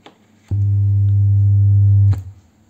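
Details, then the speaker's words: Old HVN active subwoofer speaker system (five outputs, USB/SD, no Bluetooth) giving only a steady loud low hum on power-up; suspected failed power amplifier IC, unit uses a ~2A transformer and three amplifier chips. "dengung ini sepertinya kerusakan power amply"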